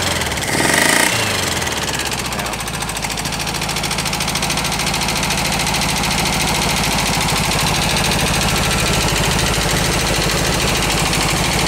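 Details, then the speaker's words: Air-cooled VW bus engine rescued from a garage, cold start: rough idle with loud, fast, steady valve tapping about three taps a second; popping back through the carb is attributed to a burnt valve, occasionally misfiring. "her I don't sounds better still tapping"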